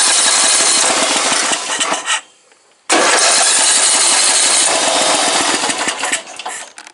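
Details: Briggs 14.5 engine on a snorkeled mud mower, experimenting with old carburetors, governor held by spring: rough, ragged running that cuts out, catches again and fades; engine starving and stalling.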